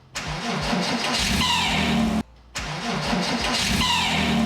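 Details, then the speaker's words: 16-year-old Porsche Boxster S 987 with over 120,000 miles: engine cranks and catches, then a high, wavering alternator squeal over the idle at startup; the fix is to replace or strip and clean the alternator. "one of the most common problems on these cars is the alternator noise or the alternator squeal on startup if you've got that noise you'll know exactly what i mean this is what it sounds like"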